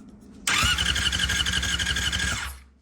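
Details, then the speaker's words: 1999 Yamaha R6 four-cylinder non-runner with electronic ignition: starter whirs with steady chugging and never catches; no spark on either bank, traced to a misaligned ignition pickup coil. "no spark. This has an electronic ignition."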